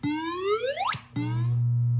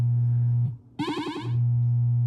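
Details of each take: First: 1978 Williams Phoenix pinball, recapped sound board, solenoid test number 12, the 10,000 point sound: clean rising electronic sweep then a steady tone; playing correctly. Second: 1978 Williams Phoenix pinball sound board during solenoid/sound test 10: steady tone cuts out, returns in choppy bursts then steadies as the pot is turned; intermittent output from dirty volume pot despite contact cleaner.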